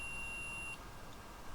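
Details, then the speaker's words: ESP32 project under ESP-IDF with buzzer on top of 7-segment display setup: steady high beep holds for about a second, longer than intended, before cutting off; cause of error not yet found. "and then it stops so you can quite quite clearly uh quite clearly hear it but it goes on for too long so I'm not quite sure what that is"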